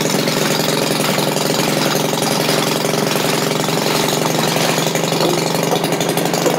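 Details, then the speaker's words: Maytag washing machine single-cylinder engine after carburetor adjustment, popping at a quick, steady, even beat with no misses, barely noticing the load engaged; normal running. "okay it runs faster now that's better yeah he doesn't hardly notice that thing being engaged now that's better"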